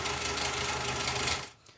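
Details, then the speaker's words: Jeep Cherokee XJ idling in neutral: a fast, light metallic tick over the idle until shutoff. The owner feared rod knock or bottom-end noise. The cause was timing chain slap from a broken chain guide. "The engine was making this ticking noise. Kind of sounded like a rod knock possibly, or some bottom end noise."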